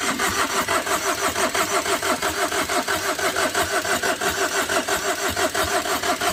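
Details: Overheated Tata Vista, radiator hose knocked off in an underside impact, cranked with battery connected: even cranking about four compression pulses a second never fires; heavy gas and smoke escape, owner suspects blown gasket, failed engine.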